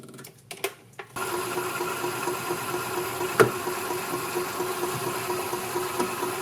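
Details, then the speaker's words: 1999 Club Car DS gas golf cart after carb cleaning, fuel pump replacement and draining cloudy fuel: after clicks, engine settles into light, even hum with no stumbles or misses; repair successful. "all right I think that's a success"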